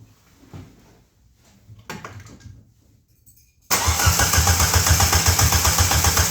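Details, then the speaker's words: Suzuki Swift GT project car, starts after replacing faulty fuel cut sensor and clearing fault codes, open header, on phone mic: engine catches into loud, fast, raspy idle held high; idle too high. "and also it does not idle very low right now, so it is just nasty."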